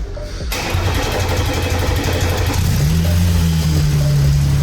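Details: 2020 Porsche Cayenne, first start after engine and flywheel repair work with the fuel system bled: quick crank that catches cleanly, a brief rev flare, then a smooth even idle with no chain rattle.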